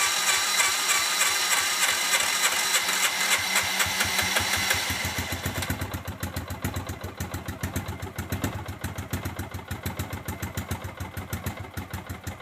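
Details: Hard-starting RZR, in low gear, with smoke coming from the back: rapid, regular chugging of about three beats a second that fades and weakens without catching cleanly; it cranks but won't stay running.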